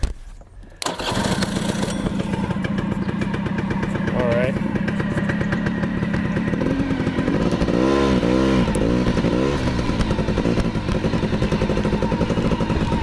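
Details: Honda Cub EZ90 two-stroke on a substitute battery: catches after about a second, then steady buzzy idle with quick throttle blips; runs cleanly.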